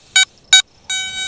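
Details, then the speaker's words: Garrett ATX pulse induction metal detector with stock 12x10in DD coil powering on: two short high beeps then a longer steady tone before setting sensitivity to 10, not ground balanced; normal power-on startup beeps. "four beeps here we go I'm going to put it on 10 sensitivity here we go"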